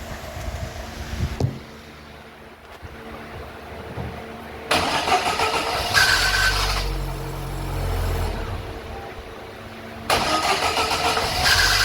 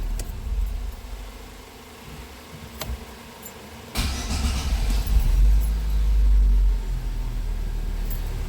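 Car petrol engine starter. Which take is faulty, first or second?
first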